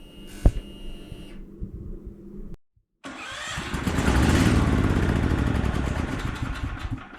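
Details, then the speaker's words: Generac XT8500EFI generator after the starter solenoid (connector assembly) was replaced, new battery connected, crank cover off; the starter spins the engine briskly with even chugs about three or four a second, cranking normally and turning right over. "So it turns right over. I'm gonna put it all back together, and then we'll start it again."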